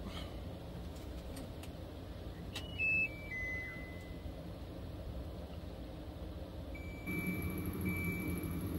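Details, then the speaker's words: HAVA R01 countertop dishwasher loaded with fruit, start pressed with empty water tank: a few short high electronic beeps then a steady tone over room hum as red lights show; no-water warning beeps. "hit start on the dishwasher and it started beeping and then these red lights showed up let me know that I don't have any water"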